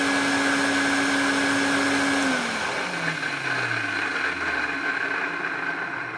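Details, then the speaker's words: Electrolux 502 vacuum cleaner running with a better flexible hose: shrill steady whine over a rough hum, then the motor winds down in falling tones. Abnormal motor noise; worn motor bearings are suspected. "hmm I think that sounds more like the bearings on the motor"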